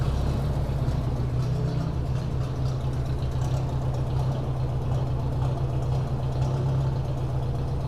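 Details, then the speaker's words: 1957 Ford Workmaster 601 (641) tractor, Marvel-Schebler TSX 765 carb, cold start at 24°F with choke, spark plugs already replaced: low, lumpy idle with an uneven, dropping-out pulse; misfire at idle, not cured by new plugs, carb going for rebuild. "you hear that kind of a Miss pulse and that's just at an idle"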